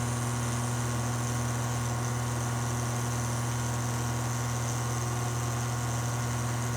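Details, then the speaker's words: Furnace blower motor, long-sitting stiff motor: smooth even low hum with no rattle, scraping or wobble on medium and high speed while low speed struggles to start; normal running. "there's the medium that's nice and quiet no weird nose noises"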